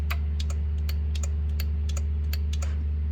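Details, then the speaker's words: Used winch from a tow truck, temporarily wired to a Suburban: pulls in normally and free spool fine, but powering out gives sharp irregular clicks, about three a second, over a low hum and the drum won't turn; solenoid, relay or controller suspected. "you can hear it clicking. Things are activating, but it's not turning."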